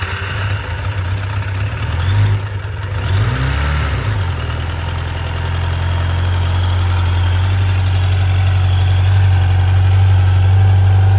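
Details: 1995 Suzuki GSX600F Katana four-cylinder, carbs synchronised after valve adjustment, oil change, new spark plugs and rerouted carburettor vent pipes: throttle blip, then a smooth, even idle that settles steadily with no misses or hunting. Normal idle.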